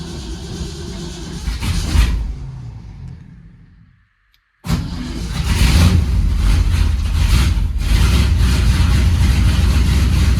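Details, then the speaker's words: 1971 Ford F100 V8 cold start after winter storage: it winds down, restarts, then idles rough with a puffing tick about four times a second from an exhaust leak right after the headers, which still needs fixing. "You can hear the exhaust leak right after the headers. I gotta get that fixed too."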